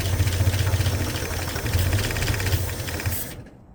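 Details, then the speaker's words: 1965 Ford Mustang 289 V8 barn find, parked 29 years, carb primed through a funnel: catches and runs roughly about three seconds then dies; carburetor not taking fuel, jets suspected plugged. "So, we're going to It's not taking fuel through the carburetor, so the the jets must be plugged up or something like tha"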